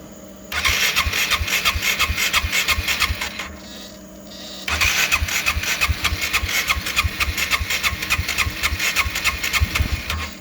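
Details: GY6 scooter engine with Speeduino 0.4.0 ECU, intermittent no-start with VR conditioner flashing, battery on charger: two spells of steady starter cranking at about three strokes a second, never catches; crank no start.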